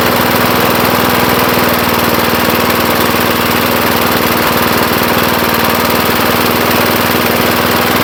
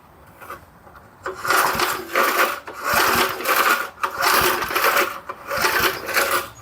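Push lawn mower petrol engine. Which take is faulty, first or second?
second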